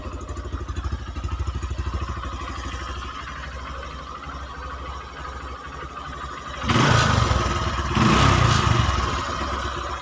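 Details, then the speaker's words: Honda Megapro New 150cc after engine rebuild with cylinder boring, following rough noise, smoke and low power; even idle and two clean rev blips without clatter; smooth, no longer smoking. "oke itu ya suaranya seperti itu dan cukup halus dan yang pasti nggak gagal ya pada pembubutan"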